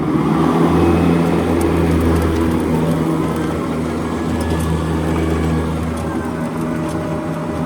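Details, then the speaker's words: EGO Power+ T6 TR4204 42-inch 56V electric riding mower, blades engaged at next-lower blade setting while driving: constant low hum with vacuum-like rush, dipping slightly moving off; blade noise overpowers motor, normal blade operation. "Yeah, I mean, for me, it just sounds like there's a vacuum cleaner on. You know, when the blades are engaged, it sounds like a high-powered vacuum cleaner, and you can't even hear the engine when the blades are going."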